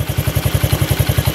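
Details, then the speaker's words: 1991 Honda CT70 single with about 500 original miles, valves in spec, started with choke off: a steady thump of about twelve even beats a second with no ticking or rattle, a healthy, tight idle. "Look at that, just idles right off the bat."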